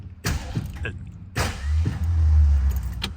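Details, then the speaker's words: 1964 Ford Galaxie, coil disconnected, in park, crank test: low uneven clunks and short groaning drag instead of steady cranking rhythm; starter struggling, owner plans to remove starter. Cause suspected, not confirmed. "okay something's wrong with that starter so the next thing I want to do is not going to mess with that"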